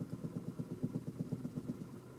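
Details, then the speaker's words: Toyota Camry, warmed up, after battery disconnect: low uneven engine pulses that sag, barely idling, shaking and near stalling, from lost idle learned values; fixed by the idle relearn reset procedure. "you can see the car is barely idling and it's shaking i don't know if you can pick that up but that's typical if you disconnect the battery on many cars"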